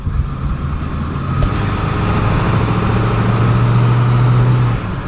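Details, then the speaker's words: 7.3 turbo diesel van on its first drive after new alternator and brake lines: steady low diesel rumble under road noise, no knocks or odd rattles; normal running. "Does it sound like a normal diesel Yeah. at the moment? Sounds good."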